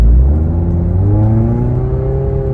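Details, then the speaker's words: 2012 Scion tC automatic started slipping after a 600+ mile rally weekend, before its D shift solenoids were replaced: engine tone keeps climbing under load while road speed doesn't rise, so the transmission is slipping and not shifting gears. "It wasn't shifting gears, which I'm gonna play right here. My RPMs is rising and my speed is not increasing."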